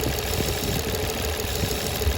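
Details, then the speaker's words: 2004 Nissan Maxima 3.5L, idle, codes P0171/P0174 lean bank 1 and 2: uneven shaky idle with RPM going up and down, a faint steady whistle on top from air leaking through a cracked PCV-valve-to-intake hose; vacuum leak. "I found something there is our problem right here you guys hear that you hear that"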